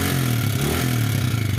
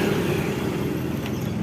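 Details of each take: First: Yamaha New Vixion Lightning (NVL) single idling, checked with a stethoscope on the head, clutch side sounds smooth: fast dry metallic klitik clatter from the top end; traced to the rocker arm area, likely a worn, seized rocker arm bearing. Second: Yamaha New Vixion Lightning (NVL) after head repair with rocker arm work, reassembled: even, steady engine beat, smooth low drone, no ticking on throttle; kletek noise gone, idling cleanly.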